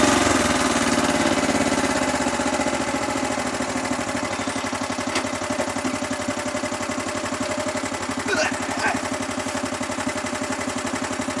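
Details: Kubota riding lawnmower engine, revived after sitting years since it made a horrible noise and shut off while mowing, runs fairly steady with a sharp ticking about three per second; owner suspects a slightly bent valve, calls it a lifter tick.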